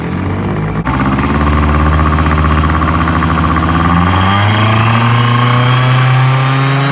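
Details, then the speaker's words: Honda Dio Elite 50 (AF16/AF18) two-stroke scooter after ZX transmission swap with TFC variator and long belt: smooth buzz climbing evenly with revs, no rattles or slipping; belt fits, normal running. "okay so the long belt Works um I don't see any issues it seems to fit"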